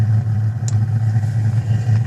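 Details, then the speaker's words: Webasto Airtop 3500 12V diesel air heater, relit after going out: steady low roar with an even, unbroken burn, no popping or surging, firing cleanly and running normally with warm air coming out. "But you can hear that burning quite well. Fired up webasto."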